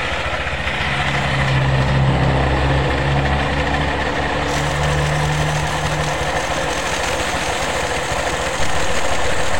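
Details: Honda PCX after CVT service for rattle and judder, clutch lining sanded and cleaned, clutch bell reassembled: smooth even idle with steady low drone, no rattle or scraping from the belt drive. Normal idle.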